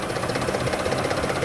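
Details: Toyota Sienna at idle, clicking that has come and gone for months: quick, light, steady ticking over a smooth idle; the source is suspected to be the top end or a pulley, not confirmed.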